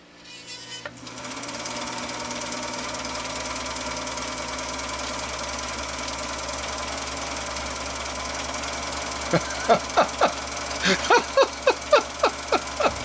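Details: Husqvarna Viking 6430 sewing machine, formerly rusted and seized, run on foot control after freeing up: smooth steady motor hum, then quick even stitching clatter about four per second, running freely; normal running.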